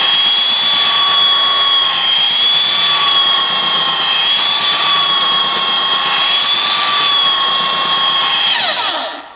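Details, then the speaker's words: Roughly 65-year-old all-metal Craftsman belt sander, restored with grease, lubrication and a new belt, sanding a 2x6; steady high whine at even pitch, then smooth spin-down. Running healthy under load. "I am extremely impressed thing really works good for an old piece of Tu here"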